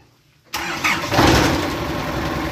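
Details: Engine after alternator repair and reinstall, battery 12.6 V, heater/glow cycle first: cranks and catches within a second, settling into a steady even idle with no whine or squeal; charging reads 13.6–14 V, normal.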